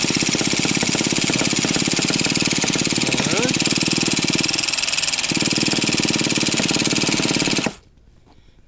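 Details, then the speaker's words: Old nitro RC monster truck (Traxxas T-Max or HPI big block) after 10–15 years of storage: starter buzzes, spinning the small engine steadily for several seconds with no firing, then stops; starter limited to five seconds; cranking without starting. "let the starter cool off it says five seconds maximum yeah right you'll never get it started"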